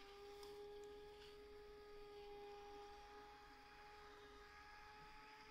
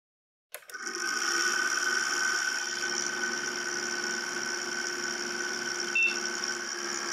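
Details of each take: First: ASUS P3B-F board's small cooling fan after fresh oil: quiet steady hum, even tone, no ticking or grinding; runs much smoother, though fan may still need replacing; normal fan running. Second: Small fan in an ASUS P3B-F Slot 1 PC with Pentium II 400 at first power-on: steady high squeal and whirr that never settles; worn, dry fan bearing needing machine oil, previously serviced.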